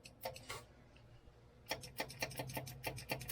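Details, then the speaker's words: Beetle project being wired, line lock tested with fan running: about a dozen crisp, separate solenoid clicks over a low fan hum. The line lock works, now on a 5 A fuse instead of 15 A. "the line lock clicks so I'm going to call that a success"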